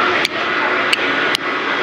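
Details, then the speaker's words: Manitowoc dual-plate cool-vapor ice machine, newly replaced right-side harvest valve checked before reassembly: three crisp clicks over steady hiss as solenoid pulls in cleanly; valve still works. "I always like to confirm. It makes me feel much better as I'm making a repair that I don't get it all back together and all of a sudden, oh my goodness, it don't work. So it still works."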